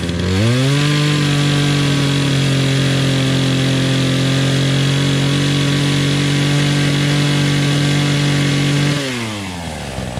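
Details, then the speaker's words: Remington Outlaw 20-inch two-stroke chainsaw, first start in a year on year-old fuel after choking, used to cut branches: revs up cleanly, holds a steady high whine for about eight seconds, then drops back smoothly; running well. "ah there you go just like that works great"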